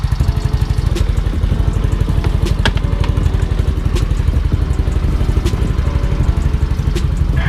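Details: Yamaha Mio i 125 upgraded from super stock to 59 touring set (160cc, 59mm bore), MT8 pipe, first start before tuning or diagnosis: even, slightly lumpy idle about four pulses a second, no knocks or rattles; idles steadily.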